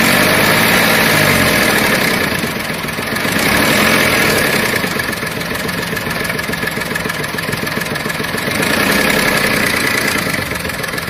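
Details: VW Polo 7 at idle: fast, fairly regular tapping about three a second over a slowly swelling hiss; engine noise of unclear source.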